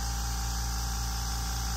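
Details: Makita air compressor pumping up, cut-off thought to be around 135 PSI: constant deep drone with steady hiss on top, no knocking or pitch wandering; normal run.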